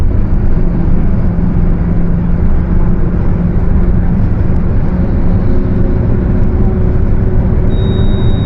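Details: Mercedes-Benz OF 1721 BTC 5 bus with Torino S body, cruising: steady low differential hum over road rumble.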